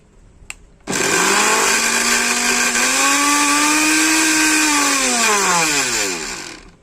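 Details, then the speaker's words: Philips mixer grinder after repair of burnt armature and two burnt carbon brushes, run directly in series: motor spins up to a high steady whine, holds evenly, winds down smoothly without grinding or rattle; normal running. "তো বন্ধুরা, আমাদের mixer মেশিনটি ready হয়ে গেছে। এবার তোমাদেরকে চালিয়ে দেখাবো। এটা সিরিজে চলছে, ডাইরেক্ট দিলাম।"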